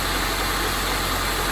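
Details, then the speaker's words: 1995 Honda Civic Si hatchback after refitting original OEM lower engine mounts in place of solid eBay mounts: steady, even hum, no shaking, knocks or cabin vibration, quiet inside; normal smooth idle. "and then inside it's also a lot quieter you know I'm not hearing the - you know vibrating or anything like that so it's just quiet as can be"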